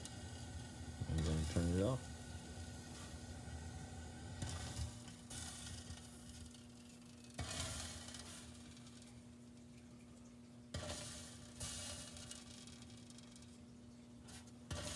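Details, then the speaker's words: Rheem gas water heater with TRD fully depressed and clogged inlet/flame arrestor screen, burner starved of air with floating flames; tank leaking, irregular hiss and crackle of water dripping onto the burner over faint hum. "you can hear that water dripping inside there"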